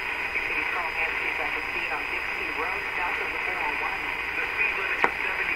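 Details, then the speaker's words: Radio fed only by a BK 3030 sweep generator, tuned near the top of the band around 1540 to 1570: thin steady high whistle over hiss; image-frequency heterodyne signal. "we're going to run it again and listen to it it's pretty distinct it's right at the top like a 1540 or so to me"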